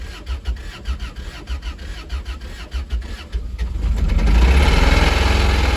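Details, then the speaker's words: Toyota MR2 Spyder original engine, awaiting a K24 swap: cranking chuffs around four per second, then it catches into a rough, heavy, knocking idle; worn-out, thrashed motor. "see yeah so as you can hear the motors thrashed so it's no good"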